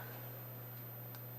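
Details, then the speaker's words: Geiger counter: single click over a quiet hum, a normal low background count with almost no radiation. "almost no radiation besides little tiny bit so it's relatively safe you wouldn't want to sleep with it under your pillow"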